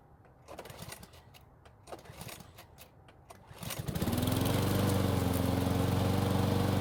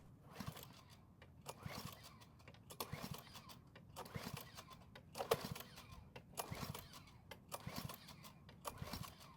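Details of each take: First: Free curbside Cub Cadet mower after carb cleaning and flipping the blade right side up: several rattling pull-cord tugs, then the small engine catches and holds a steady, even drone; normal running. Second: Free curbside Cub Cadet mower, carb already cleaned, fresh fuel: repeated rough recoil pulls about one a second and the engine never catches.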